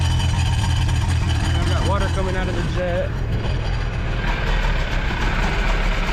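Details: Jet boat engine with rebuilt carbs, on hose cooling with water pouring out: low steady burble at even idle, no knocks or misses; settling in and running healthy.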